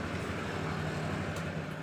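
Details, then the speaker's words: Motorcycle with a standard exhaust idling: a loud, raspy, racing-like note from a leak through a hole or corrosion at the exhaust header neck. Fix is welding the hole shut. "jadi ini menyebabkan motor standar kalian suaranya berubah menjadi suara bising dan juga racing seperti itu"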